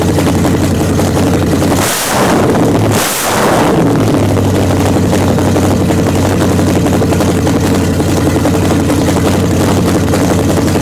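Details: 1929 Chrysler with a 360 V8 and 707 transmission, first run after correcting an electric choke set too far closed and setting idle: a couple of sharp blips, then a steady, even lumpy idle, no miss or knock. Normal running.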